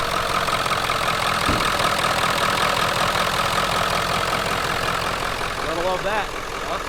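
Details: 1997 Ford F-250 4x4 7.3 Powerstroke diesel, running after no-start repair following long sitting: steady, even diesel clatter at idle with no misses, knocks or hunting; engine running smoothly and healthy.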